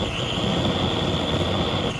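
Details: Antique liquid-fuel blow torch, after preheating until the sputtering and yellow liquid-fuel flashes stop: even, steady roar with no sputtering or surging; burning cleanly, normal steady burn, ready to use.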